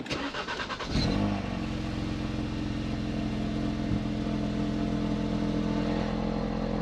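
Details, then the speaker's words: Ford Focus RS Mk3 after clearing fault codes, owner suspecting low battery: brief crank, quick catch, then steady even idle with audible air intake, no battery light, no misses or knocks; starts normally. "Looks good so far. No battery light, no that. I can hear the air intake going."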